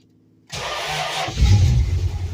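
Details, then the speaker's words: 1966 Dodge Charger, not started in a while, just fitted with an electric fuel pump relay, gas pumped a little: quick crank, fires almost at once and settles into steady even idle with no throttle; healthy start. "Holy cow. Not even hitting the gas. Nice. She's ready. Heck yeah. Well, she fired up easy."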